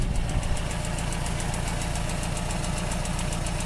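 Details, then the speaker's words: 1985 Nissan 720 with computer-controlled carburetor at idle: sharp snapping ticks about five a second in time with the engine, a taped spark plug wire leaking spark through its insulation. "Yeah, it is. You hear that? That damn spark plug wire's leaking right there through that tape."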